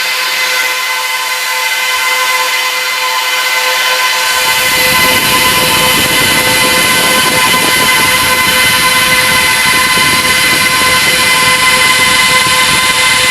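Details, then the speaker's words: Trash-picked Dell PowerEdge 1750 server, doors closed, while clearing RAID configuration: fans surge to a loud, steady high-pitched roar and stay at full speed; owner suspects panic mode, tries powering the second power supply. "see if I light up the other power supply if that ticks it out of um panic mode maybe not"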